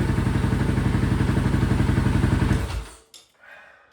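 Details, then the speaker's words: Honda TRX 700 on Vortex ECU map 1, possibly stage 3 cam: even, steady idle thump with no misses, then shut off and winds down; sounds a lot smoother, though owner unsure if lean or on the right map. "so I'm not confident in running it on that map, although it sounds like it's running a lot smoother."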